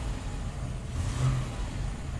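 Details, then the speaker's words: 1974 Volvo 164E, B30 fuel-injected, automatic, 187,788 miles, revved hard: a deep, loud, rough muscle-car-like roar with no ticking, where it should be quiet. An exhaust leak somewhere is suspected. "wow when you really put your foot down on it it almost sounds like a like a muscle car but i think we've just got an exhaust leak somewhere"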